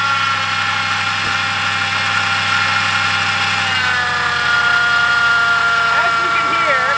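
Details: 2003–2011 Ford Crown Victoria/Grand Marquis at idle: constant whirring grind from the belt drive riding over the engine; worn idler pulley bearing, fixed by replacing tensioner, idler pulley and serpentine belt.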